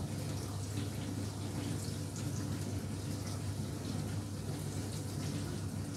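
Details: Indesit dishwasher being tested after fault: soft, steady rush of water in a small kitchen space with no buzzing or knocking; filling normally.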